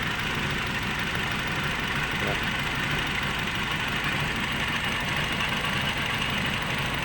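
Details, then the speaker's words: Nissan Livina with a check engine light: a loud, uneven, stumbling idle that shakes the whole body and is audible at the exhaust. "nahis mesinnya pincang ya teman-teman seperti itu ini bergetar sampai ke seluruh bodyi karena mesinnya mengerinjal"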